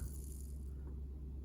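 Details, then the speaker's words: Rewound and remagnetized Athearn Jet 400 HO-scale motor at low speed: soft, steady hum with a faint even rattle and no surging or stalling. Low-speed control is good even without a skewed armature. "Well, I don't think I've ever been able to remagnetize something like that on the first try before. Not bad at all. Low speed control is pretty good too."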